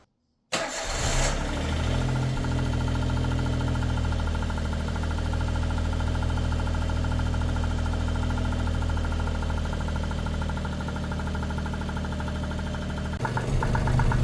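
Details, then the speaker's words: Suzuki Alto Works cold start: engine catches and settles into a fast, even tapping about four per second, loud knocking; owner suspects hydraulic lifters, possibly idle air control valve, before oil additive. Ticking noise on cold start. "So I don't know if you can hear that, but it's quite loud, the knocking."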